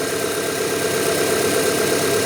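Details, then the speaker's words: 1997 Rover 200 R3 idling cold after sitting a day or two, with some belt squeal on startup. The idle is smooth and even with no obvious knocks or ticks, and the fan has not yet kicked in. "Want to listen to that engine? Let's have a listen. I can't hear anything really obvious."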